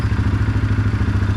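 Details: 2016 Suzuki KingQuad 500 4x4, bought non-running, idling after starter motor replacement fixed it: steady even low thumping with regular firing beat, no knocks or misses; normal idle.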